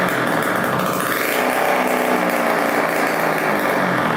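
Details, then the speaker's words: 1987 Kawasaki KX125 two-stroke after fixing a fuel leak, run without its expansion pipe: loud, raspy, high-pitched buzz holding steady revs with no misfires or surging, not lean, no leaks; runs clean. "all right sounds pretty good still no leaking so that's awesome sounds pretty decent without the pipe very loud but it's smoking the right amount doesn't sound too lean or anything"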